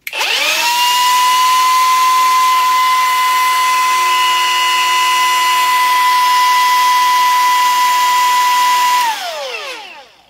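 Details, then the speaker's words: Milwaukee M18 Fuel die grinder, new, with more than one battery tried: steady piercing high whine from spin-up to coast-down with a rough rubbing edge and a burning smell; rotor rubbing inside the housing. "that made a real bad sound and it doesn't smell very good so this is not going to be a repair"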